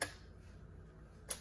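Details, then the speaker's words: 2008 Chevrolet Impala 3.5 L with P0449: a new evap vent solenoid, hanging loose, is commanded on and off by scanner and gives crisp clicks about a second apart, working normally. "And then with my scanner, I can command this off and on. And if we're real quiet, you can hear that clicking."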